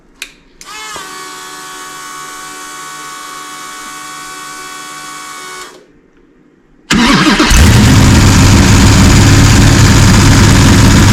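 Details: Gen 3 Hemi V8 on an engine run stand with Holley accessory drive, pre-lubed, fire-up; starter whir, pause, then a loud, even idle with no clanking, ticking or leaks; sounds solid, normal idle.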